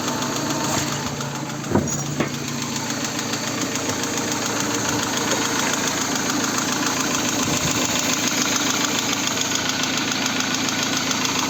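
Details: VAZ 16-valve engine, hot, knocking with a steady metallic knock about three to four times a second over a busy idle. Low hot oil pressure: 0.9 at idle, 1.5 at 2000, 2.2 at 3000, 3.0 at 4000 rpm. Occurs after replacing camshafts, oil pump, pickup, all bearings and hydraulic lifters. Cause unclear.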